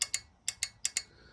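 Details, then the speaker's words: Fuel injector from a Ford F150 4.9 (300) EFI, removed and held in a vise on the bench on 12 volts: crisp sharp clicks in pairs, six in about a second, as the injector opens and closes normally. "you can hear it clicking in there, and that's the injector actually opening and closing."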